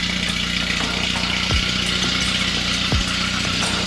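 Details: 1989 Volvo 240 DL Wagon after restoration: steady, even idle with smooth exhaust note, no knocks or misses; engine running healthy.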